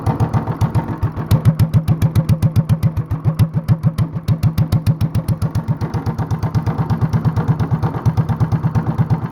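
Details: Honda clone single with 10 lb cast-iron flywheel, cam modified, no governor, near 500 rpm; slow, evenly spaced distinct thumps, steady and smooth like a hit-and-miss engine; normal low idle.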